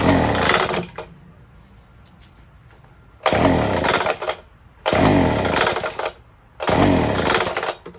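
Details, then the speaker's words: Small two-stroke unit on fresh 50:1 fuel, choked and primed, hard starting: it catches in one-second bursts, sputters and dies each time, never settling into a run. Ether was sprayed into the carburetor next. "i don't think it'll run it doesn't sound right let's pump some spray into the carburetor and then try it"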